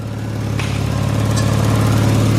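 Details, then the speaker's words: Turbocharged Miata with forged engine and new Garrett turbo idling evenly with a steady low pulse, no hiss or ticking, after tightening a loose top exhaust fastener that caused the exhaust leak; normal idle. "I actually just worked out what the exhaust leak is I never did up this dban because while I was doing up the one under the car you leave this top one loose now there's no exhaust leak that's all it was"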